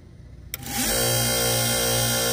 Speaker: like that and that's what it looks like and some make a lot more racket than what you just heard